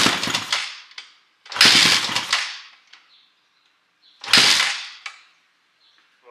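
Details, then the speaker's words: 2006 Honda CRF450X fitted with a 450R top end, kick-started: each kick gives a brief sputter that dies, almost firing. The idle adjusting screw had been fully unscrewed; choke used, and idle is later set too low. "Ah! It's almost there. I'm gonna pull the choke back out. It's almost alive."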